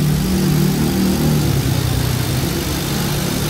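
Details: Car at stationary idle, AC still blowing cold: extra low, rough drone and growl over the engine while the AC runs, a noisy AC compressor; possible expansion valve blockage and compressor compression leak discussed, compressor to be disassembled and checked.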